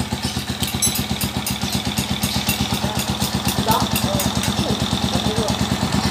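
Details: Overhauled TMX155 single-cylinder motorcycle at idle: steady, even putter with no knock riding on top; runs smoothly, with a raspy exhaust from a holed muffler.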